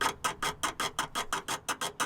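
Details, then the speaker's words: 1980 Peugeot J9 van, steering worked back and forth: sharp rhythmic creaks about five a second from the steering arm pivot, whose bushes are found split in two; repaired alongside a split ball joint gaiter on the outer track rod end. "so it's got to be split in two. Oh, and there's our creak. There it is."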